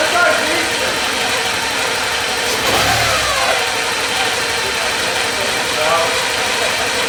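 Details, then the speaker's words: 1984 Porsche 944 revived after years sitting in a field: engine settles into a steady idle with a brief blip, running evenly with no ticks or knocks; runs and sounds good, though the cooling fans aren't coming on. "AC yeah well runs that's the important part sounds good"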